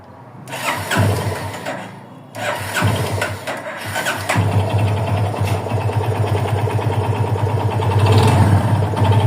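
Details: 2021 Yamaha FZ25 single-cylinder starts and settles into a fast, slightly uneven idle with a rough, irregular clatter on top; owner asks whether it is normal, cause undetermined.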